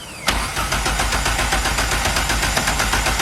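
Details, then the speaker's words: Cold start of a forged turbo Toyota Starlet 4EFE (4EFTE build) assembled from second-hand parts without measuring ring, bearing or valve clearances; starter whirs, catches at once, quick even pulse, bit smoky (rings suspected), compression sounds good. Normal cold start. "So although we did so much dodgy stuff to get that engine together, it does fire up and the compression sounds really good."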